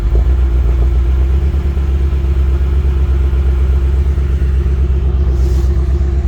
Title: BMW M6 - 2 injectors misfiring and shut down